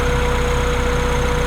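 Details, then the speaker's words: Integra with budget B20B engine swap, first start-up, running a while: a steady idle with a slightly uneven, lumpy beat under the hum, a little rough because timing is off and improving as it runs. "it's been running for a little bit it's running a little bit better i didn't even think to realize that it was going to be running a little bit rough because the timing was going to be off"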